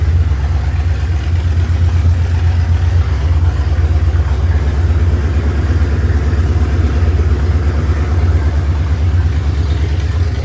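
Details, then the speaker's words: 1970.5 Ford Falcon (Torino) V8, first start after 29+ years sitting with a frozen engine; loud deep open-pipe rumble at steady idle, no knocks or stumbles, almost 50 psi oil pressure; runs pretty good, kinda. "That thing runs pretty good. Kinda."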